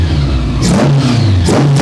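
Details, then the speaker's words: 1982 Honda Goldwing GL1100 barn find rebuilt onto a parts-bike frame, running after an arcing spark plug wire was replaced with one from the other bike: steady, even idle with throttle blips and no miss; warming up and radiator fan kicks on. "It's running. I thought it was running pretty good before. It's running really good now."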